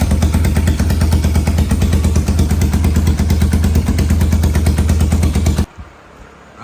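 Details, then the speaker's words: 1991 Kawasaki Ninja 500 twin in a 500cc mini bike, started after rejetting the carb, fed from a temporary fuel supply: loud choppy uneven beat, reluctant to rev cleanly, then cuts out; suspected too lean, heats quickly, not confirmed. "I think it's still running way too lean because it gets hot really quick and it doesn't like to rev up perfectly. It kind of like hesitates."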